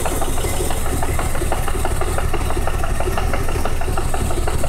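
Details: BMW 328is M52 six-cylinder after S52 M3 cam swap, steady idle with a sharp regular knock about three times a second; owner set timing with tools but suspects cam timing is off, knock source unknown.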